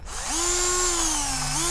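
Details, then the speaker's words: Parkside PBSA 12 D4 12V cordless drill (28Nm, two speeds 0-350/0-1300rpm) under heavy screw-driving test: motor whines to a high pitch, sags and recovers with metallic edge; housing hot, plastic ejected, cooling fan detached from rotor and stands still, drill failed. "Motor works but fan stands still This drill failed the test"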